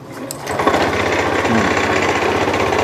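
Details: Small single-cylinder fuel-injected motorcycle that arrived dead and is now running after the spark plug and plug cap were replaced: catches and settles into a quick, steady patter at fast idle with even firing and no misses. Normal running.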